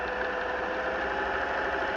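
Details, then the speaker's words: Vintage Singer 503-A sewing machine threaded and sewing at high speed: steady even whir with no knocks or rattles; healthy machine running normally. "And it's a good high-speed machine. It'll get up and go."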